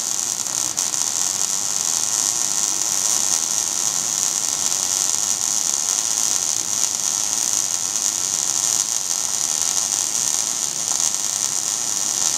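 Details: Steady, even frying hiss with no pops or sputtering gaps from a well-set MIG (GMAW/MAG, active gas mix) wire feed and arc laying a fillet weld; normal arc.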